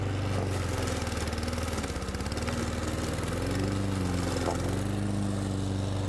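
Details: Old Honda IZY HRG466 lawn mower cutting very long grass: a steady, even drone with slight pitch dips as it bites into thick grass, recovering quickly. Healthy engine, normal running under load.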